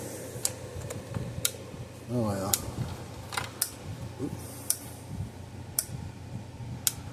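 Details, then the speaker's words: Red Snap'r 50 Mile electric fence charger on test: a sharp snap about every second over a low hum as it arcs across an internal gap, putting out too much energy; internal arcing from overvoltage. "It was actually arcing inside this thing because this thing was putting way too much energy, or not voltage, and jumping across the gap inside there."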